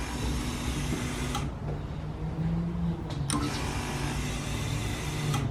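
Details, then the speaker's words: LS-swapped S10 Blazer, fuel pump priming when power is jabbed to the fuel pump wire before first start: soft steady electric hum at one pitch, pump running smoothly; normal fuel pump priming. "so now whenever I Supply power to this we should hear the fuel pump Prime tonight there it goes that's freaking sick"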